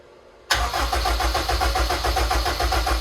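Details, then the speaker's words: Honda S2000 engine in a project build, dry cranking with the ECU off and the starter hot-wired, oil system filled with 7.25 quarts of 10W30: strong, even cranking at about 3.5 beats a second with no misses or drag. Healthy cranking. "starter run strong everything runs good so far"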